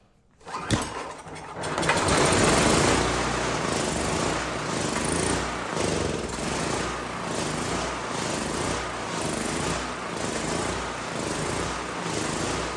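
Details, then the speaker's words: Neglected Generac GP5500 generator with low compression and an old carburetor flooding over: after the pull it runs with a loose, uneven beat and a surge every second or two; makes power, carburetor metering poorly, to be replaced. "So, the good news is we are making power and the engine sounds healthy. Uh, but the carburetor is not running it well."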